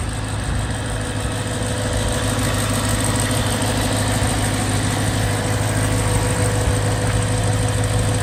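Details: BMW E92 M3 S65 V8, 65,600 miles, oil changed 1 month/300 miles ago, idling: steady even idle with faint light ticking; tick developed cold, less noisy warm but still present, cause unknown.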